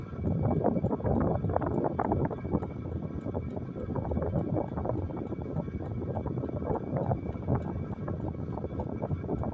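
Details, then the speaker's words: Diesel heater on the 3.4 setting, powered by a Jackery Explorer 290 power station, at startup: quick light fuel pump ticks over the heater's steady roar and fan rush; normal. "Like I said, I can still hear the fuel pump tick. Okay, it just quit now. Yeah, I can't hear the fuel pump ticking up any longer."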